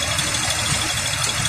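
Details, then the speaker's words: 2001 Ford Explorer 4.0L V6, idle after tightening left exhaust manifold nuts, one about a sixteenth turn: steady idle, sounds a little rough with faint unevenness under hiss, no exhaust tick or smoke; normal idle, leak apparently fixed. "I mean it's a Ford so it sounds a little rough and and"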